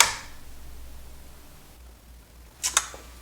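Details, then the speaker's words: Pioneer SX737 receiver after replacing C1845 protection-circuit transistors: relay gives sharp click then second click a split second later, kicking back out; protection dropping out, faulty protection-circuit transistor suspected, 945 and 730 next. "Relay just kicked in, but it kicks back out. I think I'm going to have to change."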